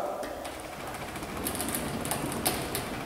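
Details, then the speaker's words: Linear garage door opener, DC motor with roller chain drive, after chain tension adjustment: even mechanical chatter with light irregular ticking as door travels up, no grinding or slapping; properly tensioned, chain naturally louder than belt. "perfect roller chain by Nature is gonna be a little more loud your belts are obviously the quietest Drive on the market paired with the DC which this is"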